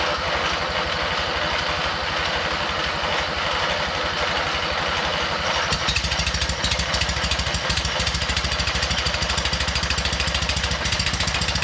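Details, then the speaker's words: MTD riding mower twin-cylinder engine with one new head gasket, compression present: rapid uneven chuffing that catches and falters, smoking oil, never settling into a steady run; the aluminum flywheel woodruff key had sheared, throwing ignition timing off. "i don't know about you but it actually sounded like it was starting to do so yes it did it's such a [ __ ] teaser"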